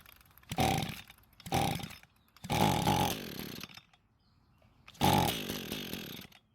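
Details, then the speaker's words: Echo two-stroke string trimmer long stored, fuel poured into the carb throat after rope pulls showed good compression: short crisp high buzzing bursts dying within a second as the primed fuel burns off; the engine sounds very healthy. "the good news is that the engine started and ran long enough to realize that it sounds very healthy"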